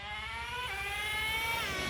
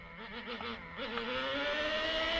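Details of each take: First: Traxxas T-Maxx 2.5 nitro RC engine with newly fitted Losi 3.4 carburetor, warmed up and running rich: high buzzing idle dips briefly then climbs back; idle always sits high no matter the tuning, with little bottom end. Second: Traxxas T-Maxx 2.5 nitro RC engine with new Losi 3.4 carburetor, still rich from factory settings: climbs cleanly from burbling idle, holds high revs, drops back; starting to wake up, throttle response better.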